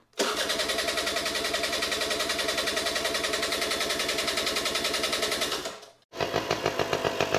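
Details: Rare 1994 Honda EZ90 Cub with fresh fuel and carb cleaner sprayed in the intake: a quick, even single-cylinder putter of about three and a half beats a second that stops briefly, then restarts.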